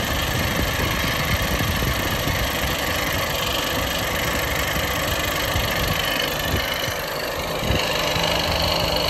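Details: Ford FG Falcon warm idle: quick, somewhat uneven lifter-like tick that seems to come from lower than the valve train; appears only once the engine has heated up; cause suspected, not confirmed.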